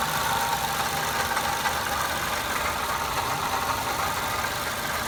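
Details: 2005 Pontiac Vibe / Toyota Matrix 1ZZ-FE engine at steady idle with a constant whirring hiss that doesn't change; engine noise traced to and solved as the water pump; water pump bearing noise.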